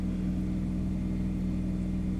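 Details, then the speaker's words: Motorhome diesel generator starting after its glow-plug preheat light blinks for a few seconds: a steady low diesel drone with an even hum and no misses or knocks; the generator runs smoothly. "and after it does that for a few seconds then it goes ahead and starts the generator which it just did you can hear it running"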